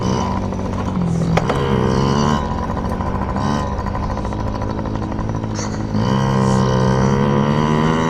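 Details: Yamaha PW50 two-stroke, just after carburetor cleaned (jets, float checked) to cure bogging and dying at wide open; warming up: revs climb and drop cleanly with throttle, no bogging or stalling, healthy.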